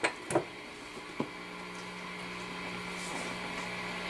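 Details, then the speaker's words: Epiphone Valve Jr tube amp with Billy Gibbons mods, during repair, turned all the way up: a couple of handling taps, then only steady soft hiss and faint hum, no ringing; microphonics gone because signal now shunted to ground. "I can hear the hiss and that thing but even if I if I touch this guy it's it's actually no longer it the micro phonics are gone because the signal is being shunted to ground"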